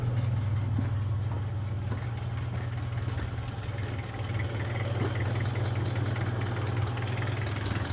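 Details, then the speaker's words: Toyota Kijang Kapsul idling after 15 minutes running with engine flush added before oil change; light, steady tapping about four times a second on even idle, from sludged, sticking hydraulic lash adjusters. "setelah 15 menit kita dengarkan ya Apakah masih ada bunyi tek tek tek tek tek tek tek"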